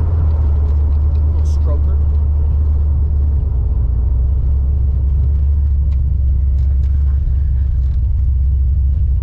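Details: 331 stroker V8 in a GT, running after a failed brand-new part caused no spark; deep, steady rumble with an even beat and no misses or rattles, healthy.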